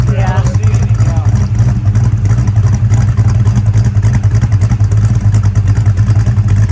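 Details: 1966 Pontiac GTO V8 after a white-smoke diagnosis and repair: a deep, even rumble with no knocks, misses or stumbles. It sounds good with no white smoke; the slight blue smoke on revving is attributed to contamination burning off.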